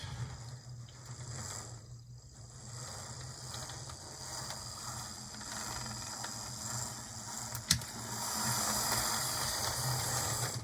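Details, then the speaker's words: HO-scale model locomotive after replacing cracked axle gears with Athearn 60024 gears and lubricating: smooth steady motor hum with an even light gear whir and no clicks or catches; gear train runs cleanly. "In great shape, sounds good, looks good."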